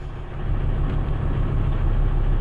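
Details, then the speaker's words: 2003 Volvo XC90 started on a new 900 CCA battery during a cranking test, after low-battery no-starts (alternator tested fine). It settles to an even, steady low idle with no knocks, misses or squeals; normal idle. "There we go, more than enough to fire it up."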